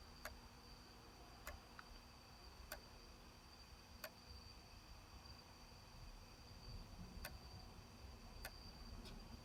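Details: Sony D-90 Discman, just received, while running: quiet hum with sharp, light clicks about once a second, slightly uneven in spacing; cause unknown.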